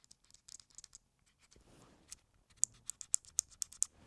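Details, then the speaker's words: Tascam DR-100 MkIII recorder shaken by hand: sharp, light plastic rattling clicks from small front switches that sit loose in the case, unlike the MkII. "On the Mark III, well, the build quality on these switches isn't as good. Can you hear that? Can you hear that rattling? That's these small switches."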